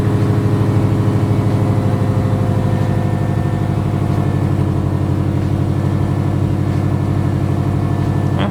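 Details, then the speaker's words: Subaru Forester after engine reinstall with new motor mounts, oil pan, clutch and oil separator plates: steady low idle with an uneven, lumpy stumble; cylinder 1 and 2 misfire persists, owner suspects ignition coil. "alright so the cylinder 1 & 2 misfire did not go away kind of figure that one out may have to replace the ignition coil"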